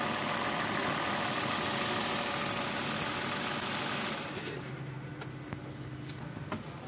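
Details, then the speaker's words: Suzuki All New Ertiga / XL7 non-hybrid engine at idle after replacing the V-belt tensioner bearing: the rough noise from the belt area is gone, leaving a smooth, even, steady low hum. Normal idle. "nah jadi seperti ini ya untuk kondisinya yang tadinya itu suara ini ya suara kasarnya itu benar-benar e kedengaran atau enggak normal nah ini udah normal kembali ya"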